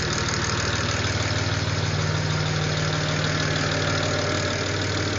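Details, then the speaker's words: 2007 BMW N54, first start after fitting new coded index 12 injectors, car had been sitting: steady idle with light regular tick about two per second; owner suspects lifter tick until oil pressure builds, possibly slight misfire, unconfirmed. "think because it's been sitting for a while, that's just like lifter tick. Once it gets oil pressure, it'll be fine."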